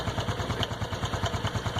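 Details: Honda Biz 110i at cold idle after a 6,000 km oil change where the wrong bolt by the cam chain tensioner was loosened and refitted wrongly; sharp, even tapping of about eight per second that stops when warm; owner suspects spring pressure loss and oil viscosity.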